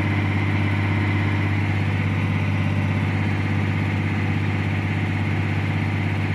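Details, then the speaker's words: CAT 345 excavator with error 36-268-2 (engine speed surging up and down), after engine speed calibration at high idle: deep, even diesel drone holding one steady full speed with no rise and fall. "can see now the engine sound is fully speed so based on calibration they calibrate the speed"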